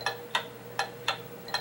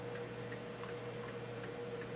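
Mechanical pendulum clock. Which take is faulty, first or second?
first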